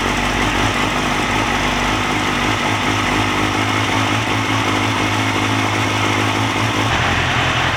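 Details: Yamaha YZF-R6 after replacing broken ECU connector: even, steady idle with smooth quick exhaust beat and no knocks or misses while warming up; runs normally.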